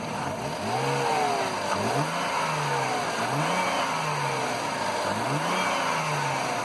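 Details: 2003 Mercedes CLK with rough running, apparently traced to a bad earth connection: engine blips up cleanly several times and drops back each time, revs rising and falling smoothly with no stumble or rough patches.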